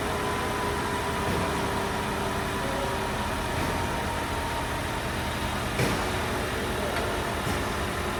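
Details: Toyota Camry with a 2AR-FE engine, diagnosed with front-of-engine noise from a faulty water pump that was replaced: a steady, smooth four-cylinder idle with an even hum and no whine, rattle or grinding from the front.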